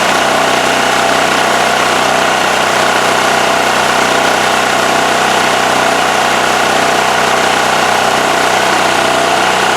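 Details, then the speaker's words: Westinghouse WH7000EC 7000 W generator after removing the plugged spark arrestor: a steady, even drone with no misses or knocks. It is running properly. "All right, so it's running pretty good, as you could see."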